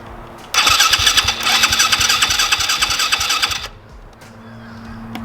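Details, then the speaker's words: Newly bought dirt bike, street tires still fitted: a high, rattly buzz spins up for about three seconds and drops away without running; hard starting, cause unknown. "I don't know what's going on, but they didn't want to start there."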